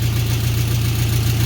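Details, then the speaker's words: VW Beetle at idle after replacing a holed oil pan following oil loss from bottoming out: steady low idle with even puffing tick on each firing pulse, exhaust leak; slight clatter, engine otherwise sounds healthy. "Well, I can definitely hear the exhaust leak, but I don't know with how it sounded a second ago."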